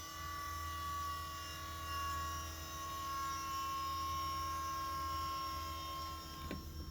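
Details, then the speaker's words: Electric power steering pump from a 2007 Volvo C70, fitted in a Coyote engine swap, running before the engine is started with a little air still in the system while being bled; steady electric whine with a buzzy, slightly wavering drone. "listen to this got a little air in there that's why i'm turning it on so i could bleed it but yeah that's how it sounds"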